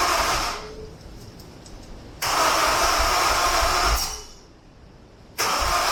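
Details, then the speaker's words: Honda S2000 with its injectors disconnected, cranked in several tries: three steady starter bursts of a couple of seconds each with pauses between, and the engine never catches. Crank, no-start; cause unknown. "Actually, we're gonna go ahead and just crank it for a few different times, and then we'll go from it."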